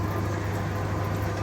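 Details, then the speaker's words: 1952 Parnell tumble dryer, repaired, heater being set, warming up; even low hum with smooth drum rumble, stops when the door opens and restarts when shut; normal running. "so yeah open the door obviously stops spinning shut the door and it starts again as easy as that"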